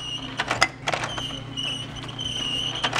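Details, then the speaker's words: DVD player with case opened, disc tray moving: steady high squeal over a low motor hum, clicks at each end; owner suspects friction between pulley and drive gear, plans dielectric grease on drive wheel and tray splines. "the top it pretty much just lifts off and it's making this awful squealing noise"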